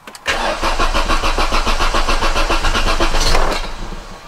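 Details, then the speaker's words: Volvo 480 2.0-litre, first start attempt after years off the road, with spark plugs refitted, oil and coolant checked, a freshly charged battery and the fuel pump primed: steady cranking at about 3.5 beats a second with brief firing catches, but it won't run on its own. "that was close it almost started"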